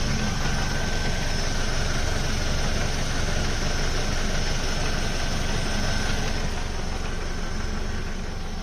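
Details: Ford Focus Mk2 2.0 Duratec with MTX-75 gearbox at idle: a steady, low, loose rattle about three beats a second that disappears when the clutch is pushed; not the flywheel or release bearing, and it persists after a complete clutch replacement.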